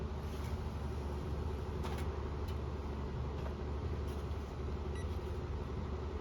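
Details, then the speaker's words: 1997 Honeywell HW-612 12-inch reversible window fan from a thrift store, starting on high: low, uneven hum with slight wobble, turning sluggishly and shaking; owner says bearings need cleaning and oiling. "and it'll start it on high running a little rough and it's shaking a little bit"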